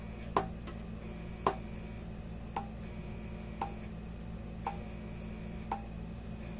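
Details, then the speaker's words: International Super 100 solid-state electric fence charger, repaired by soldering after low or no output: sharp, evenly spaced ticks about once a second over a low hum. It now pulses normally and throws a spark. "all right one two three clicking along"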